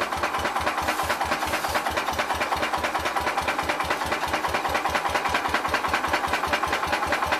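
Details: Old single-cylinder petrol Cub (1953 or 1963) engine runs after long sit, throttle wide open, dust inside: thumps at five or six beats a second, rough running.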